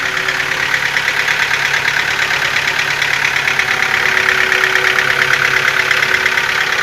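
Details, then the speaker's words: Nissan QG15DE engine, cold start at idle: a light, fast ticking knock at about two per second over the engine note, growing stronger; cause unknown. "Вот запуск, как сказать, на холодную. Что-то все сильнее, сильнее начинает вот этот стук проявляться."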